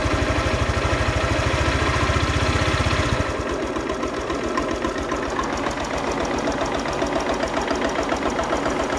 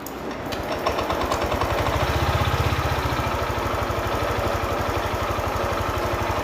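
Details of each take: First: Honda Click 125i scooter after water pump replacement, engine chugging unevenly at idle then sagging and fading; won't hold idle, stalls and won't rev; valve adjustment didn't help, fixed by resetting values. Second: Honda Click 125i after water pump replacement and fresh oil and coolant; idled poorly and stalled until values were reset. Now a steady, even idle with a quick, regular low putter; the audible noise is a clutch bell bearing, judged harmless.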